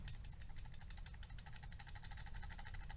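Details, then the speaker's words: Honda CBR 1000 F removed cam chain tensioner shaken by hand: quick light metallic clicking about nine a second from worn play, the noise amplified by engine resonance into loud rattling when running. "c'est ce petit bruit là que vous allez entendre amplifiée par le phénomène de cash de résonance qui peut y avoir par le moteur par le vrombissement du moteur"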